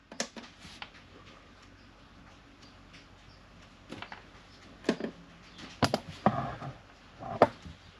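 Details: Sailboat air conditioner in Mexico, switched on after the through-hull was reopened and an unknown part removed: only a few scattered clicks over near silence, no compressor or fan spinning up; the unit fails to start.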